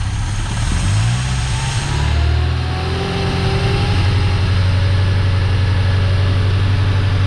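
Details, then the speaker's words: Yugo Sana GL just revived after 20 years, on manual choke, no obvious leaks: brief throttle blip then steady even low hum, no misses or knocks; sounds quite refined, normal idle. "Certainly no obvious leaks, and blimey, that does sound quite refined. I'm very surprised."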